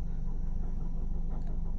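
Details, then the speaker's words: Idling 2NR-VE dual VVT-i engine, Malaysian-assembled Perodua: steady low hum with rough grinding or humming from the front engine side, traced to a worn water pump bearing. "ayun, grinding sound mga katropa or humming sound."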